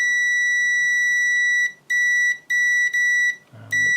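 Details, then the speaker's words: Continuity test on a pocket multimeter (one of ANENG AN101, Uni-T UT120C, Victor VC921): loud, clean high-pitched beep, one long tone then short bursts on each probe touch. The loudest of the three, latching buzzer; the ANENG is quietest. Continuity beep. "So this is the quietest. That one's still not very loud, but definitely louder than the ANENG."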